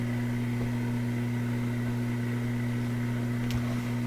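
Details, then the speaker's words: Loewe Opta Type 5966 tube radio at initial power-up below full 120 V, one speaker connected: loud constant fixed-pitch low hum; mains hum, owner expects worse at full voltage. "Got a pretty good hum to it. That would probably sound really powerful if we were on big speakers, that hum. You can guess what that hum is."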